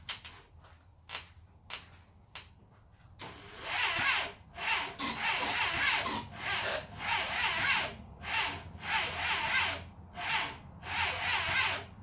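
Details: 1980 Honda CB750F barn find, first start attempt with fresh plugs and ether after spark check: starter churns in slow, labouring surges, no sign of catching; cranks but won't start.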